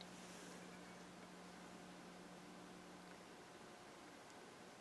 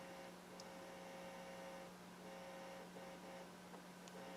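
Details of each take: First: I lifted about 6 in away, the hum disappears. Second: Bryston 0.5B preamp with 3B amplifier, nothing connected to inputs on CD auxiliary: steady low mains hum with faint buzz above, preamp picking up the amplifier transformer's field; lost ground connections suspected as hum source.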